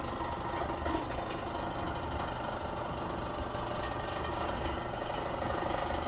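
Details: Maytag Maxima dryer running: steady low rumble with a rough, uneven rattle over the drum's turning; abnormal dryer noise, cause unclear.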